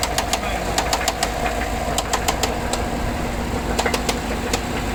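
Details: 2014 GMC Sierra 6.2 V8, 100k miles, stalled at 45 mph the day after a rear-end collision that hit the exhaust; white exhaust smoke, oil pressure steady 40 psi; idle with sharp metallic knocks in uneven clusters about three a second; spun bearing suspected, unconfirmed.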